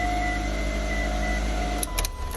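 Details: Mitsubishi Galant that intermittently won't crank because of a loose ignition switch; with the switch pushed in, the engine fires and settles into a steady, even, smooth idle with no misses, running normally.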